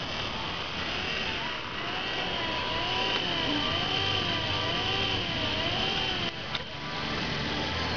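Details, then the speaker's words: 1970-74 E-body 3-speed wiper motor after reconnecting the corner switch pod ground to the dash frame: an even whirr rising and falling with each slow sweep, no surging. Low speed is restored and it parks when switched off; normal low speed. "As you can hear, the motor now goes back to low speed."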